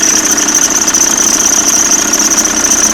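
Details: Audi C4 with AEL engine running after timing belt and water pump replacement: strong steady high-pitched squeal with rough knocking underneath, louder when throttle is pushed; cause unknown, mechanics could not repair.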